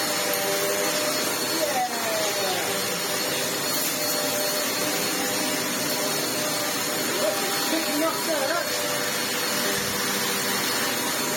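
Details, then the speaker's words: Vax Essentials bagless upright vacuum after full restoration (stripped, washed, mud-clogged filter cleaned), tested on hose suction then carpet: steady high-pitched motor whine with even airflow rush; running normally. "Let's test the hose suction first. That's got there. Perfect there. Let's try it on the carpet."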